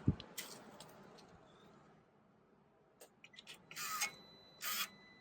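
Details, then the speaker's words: BMW R1200GS Adventure exhaust valve actuator, reinstalled with an aftermarket muffler, doing its self-check at ignition before start: two short whirring bursts as it sweeps and returns, with no creak or whine; it is working normally. "One more time. This is the self-check on the valve."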